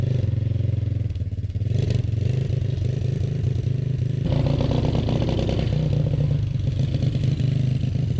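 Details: 1991 EZGO golf cart converted with a four-wheeler engine and drivetrain, pulling away: low uneven chugging, rich and lumpy, surging; rough running because the choke was left out.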